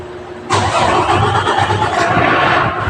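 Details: Fuso 6R10 diesel truck with automatic transmission after fixing a no-crank no-start (neutral/gear selection issue): brief crank, then it catches at once and settles into a steady, even clatter; clean normal start.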